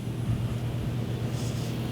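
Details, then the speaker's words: 2011 Chrysler Town & Country/Grand Caravan 3.6L, 115,000 miles, intermittent crank-no-start and stalling under diagnosis: engine starts and runs with a steady low hum, no knocks or misses, fuel pump drawing current. "we have started all right so we're started we got currents"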